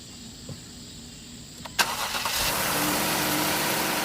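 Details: 2011–2017 Jeep Grand Cherokee after DIY thermostat replacement and bleeding air through the air valve: cranks, catches cleanly and settles into a smooth, steady idle with no knocks or squeals; normal idle.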